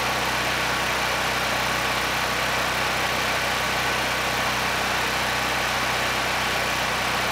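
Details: Honeywell HW5500 5500-watt generator, 337cc engine, after new Hipa carburetor, replacement tank and old gaskets (insulator issue found), during load testing; steady, even hum at constant speed, no misses, surging or knocks — normal running.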